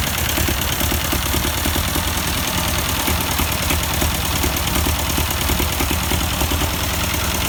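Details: 1952 Ford 8N tractor, unrun for years: uneven stumbling idle with irregular beat and missing pulses; plug change barely helped, carburetor suspected, but one cylinder dead from stuck-open exhaust valve.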